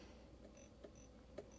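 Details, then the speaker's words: Vero Bluetooth speaker-microphone on a two-way radio after the headset function was set back to normal: a faint hiss with intermittent thin chirps and clicks, heard as buzzing in the audio. The owner suspects it must stay in PTT mode; the cause is unconfirmed. "I'm getting that buzzing again. KM9G testing. Yep. So, it's got to be in PTT mode for some reason."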